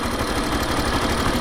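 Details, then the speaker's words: Factor 2022 motorcycle, about 55,000 km, never had its valves adjusted; busy metallic rattle and ticking over the revving engine, worse when accelerating, suspected cam chain and valve noise, consistent with loose valve clearance, before adjustment. "ela tá com barulho muito muito ruim de tem um barulho de chacoalho que parece ser corrente de comando e tem um barulho um tiquezinho parece ser de válvula"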